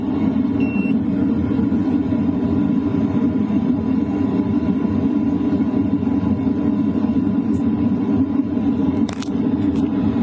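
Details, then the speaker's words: LF Bros diesel heater at 3 kW in a tent at night, microphone close to the air duct: steady even roar of burner and fan, no ticking or rattles; normal running. "Now I'm switching it up to 2.5 kilowatts. And honestly, the noise is pretty much the same. Next up is 3 kilowatts."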